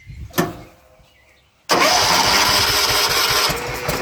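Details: 1970s John Deere 212 garden tractor with mechanical fuel pump, unrun for years: silence, then a sudden hard catch into a rough, uneven run on ether; it fires briefly but dies once the starting fluid runs out. Cause suspected, not confirmed.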